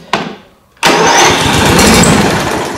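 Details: Brand-new Toro 21464 Personal Pace mower with Briggs & Stratton engine and electric start that kept blowing the starter fuse: short whir then steady spinning churn with no firing, cranking normally this time; intermittent lock-up suspected at the decompression system.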